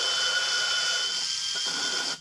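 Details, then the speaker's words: Valve lapping on a 1997 Land Rover Discovery cylinder head, using a low-speed drill and water-based compound: the grinding changes from a chunky sound to a smooth, even hiss with light drill whine as the valve seats. "goes from more of a, you know, like a chunky sound to more of a smoother, more, I don't know. And I can feel it with my left hand. I can feel it getting smoother."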